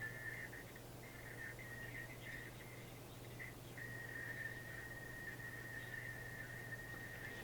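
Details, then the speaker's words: Caprice AM radio: thin high squeal near 2 kHz over a low steady hum cuts out when an area is touched or a part wiggled; intermittent fault, owner suspects the transformer, the board or a loose solder joint. "Because at this moment, alright, I think you could hear the squeal. And all I done was touch in this area. Cuts out when I wiggle this"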